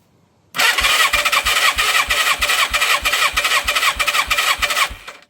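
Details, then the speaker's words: 1987 Yamaha FZR1000 abandoned for 16 years, compression test while cranking on a jump box, cylinder 2: strong, even compression pulses at 140 psi (cylinder 1 read 110, possibly a poor gauge seal). Normal cranking compression. "Okay, so that one's a bit better. That's 140 psi, which is kind of what I was expecting the first cylinder to be."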